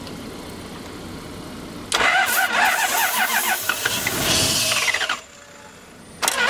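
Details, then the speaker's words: 1992 Lexus LS400 4.0 V8, sprayed while cranking: quick, even chugging for about three seconds that never catches; cranks, no start, owner suspects fuel pump. "It doesn't start. Sounds like fuel pump. It cranks. Doesn't start though."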